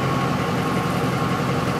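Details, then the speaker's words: 2004 Ford F-150 5.4L V8 that stalls when hot and won't restart until cool (fuel pump and rail pressure sensor already replaced, codes P0191, P1233): steady even idle, smooth low rumble, during bypass test with pump grounded at full speed, 75 psi rail pressure. "so basically I'm giving this fuel pump a ground manually so the pump is running at full speed right [Music] now we'll go to our data display"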